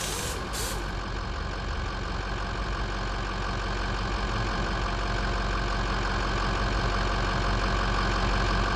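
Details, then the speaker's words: 2005 Ford F250 6.0L Power Stroke diesel after correcting a weak cylinder: steady, even running with no misfire or knock on road test. Contribution levels are good and the original hard start and rough idle complaint is gone. "Estupendo, la prueba de manejo del camión salió bien, no hubo fallas y todos los niveles de contribución ya están bien."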